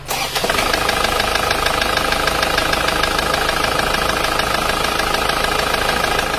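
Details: Diesel engine, rough tak-tak knock after recent engine overhaul: rough rattling knock about three beats a second over idle; teardown found worn, smooth pistons, slapping.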